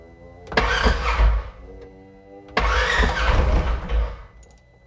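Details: 2016 Polaris Ranger 900 XP with an intermittent cold crank-no-start that reportedly disappears when warm: two short cranking bursts of about a second and a half that never catch.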